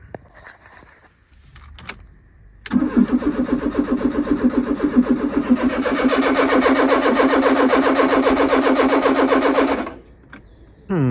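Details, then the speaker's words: 1995 Fiat Tipo 1.6 SX with Gemini aftermarket alarm/immobiliser, fuel pump hot-wired to a permanent feed: starter churns evenly about four turns a second for seven seconds without catching; cranks but won't fire. "well that didn't work that's annoying there's something"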